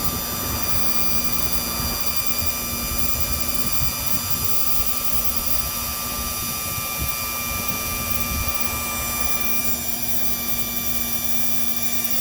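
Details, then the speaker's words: 1961-1965 Lincoln Continental convertible top hydraulic pump, powered via the yellow wire to extend the rams while bleeding: constant, even electric motor whine at a fixed pitch; normal operation. "I'm going to touch the yellow wire that goes directly to the pump. You'll see the rams coming"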